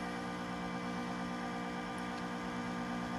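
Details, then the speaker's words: Vintage Macintosh SE with dual floppy drives and external 30 MB hard drive, running System 6: steady coarse droning hum, abnormally loud fan; owner suspects dust (plans compressed air) or a failing fan. "Nobody can tell me that that's normal. I knew that the SE fans were loud, but that just doesn't seem right."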